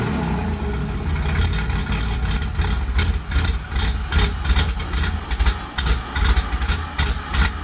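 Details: Cammed 2001 Pontiac Grand Prix GT deep uneven idle with irregular lopes and stumbles, two or three surges a second; owner attributes rough idle to a bad O2 sensor.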